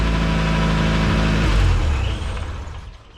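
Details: Car engine finally running after a long no-start struggle: catches and holds a steady, even idle with a low regular beat for a few seconds; runs smoothly.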